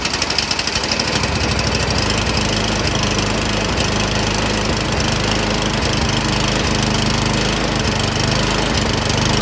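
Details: Snowblower small single-cylinder engine surging, fast rough beat whose speed swells and sags instead of holding steady, a governor-hunting idle before repair; cause suspected, not confirmed.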